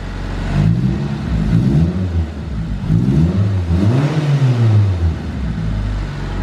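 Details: CE Lancer with SOHC 4G93 turbo, after a Walbro fuel pump upgrade, started to check fuel pressure: the engine climbs smoothly through several blips and drops cleanly back to idle with no hesitation or stumble.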